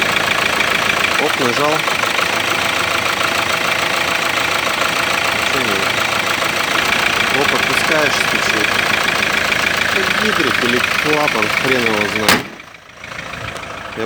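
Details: Kia Sorento 2.5 diesel at idle with a sharp, fairly regular tapping around three per second over the steady idle. It is an engine knock of unknown origin.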